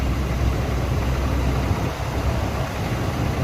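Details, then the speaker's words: 1997 Chevy Blazer 4.3 Vortec with momentary misfire on deceleration and lean backfire on snap throttle: low idle that dips and stumbles then smooths; intermittent rough idle, cylinders 5 and 6 worst, suspected injector drip or valvetrain fault. "If you watch really closely, the intermittent issue, it'll come and go, smooths out."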